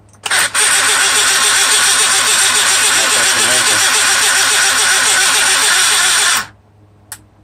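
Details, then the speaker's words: Mercedes SL600 electronic throttle (E-gas) control module bench test on power-up: harsh, steady buzzing about six seconds, then abrupt cutout; module severely damaged, blamed on shorts in throttle body wiring looms. "as you can hear and you can see this module severely damaged this is crazy so shorts in throttle body wiring looms cause this module to go bad no question about it"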